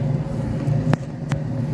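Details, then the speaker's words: 2011 Nissan Sentra, rear wheel jacked up and spun freely, giving a steady low hum and drone; customer reported strange noise from rear wheel; worn rear wheel bearing confirmed after disassembly. "nos comenta el cliente que hace un ruido extraño en la llanta trasera lo que hicimos fue calzar y ahorita le vamos a dar vuelta para checar que no sea El balero"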